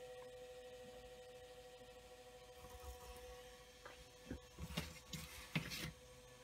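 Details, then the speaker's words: Marshall MG100HDFX solid-state amp, powered on after a power switch replacement: a thin, steady whirring whine from the cooling fan with a faint hum under a few handling clunks. Noisy cooling fan; the cause is not confirmed. "and there it goes power on fans making noise"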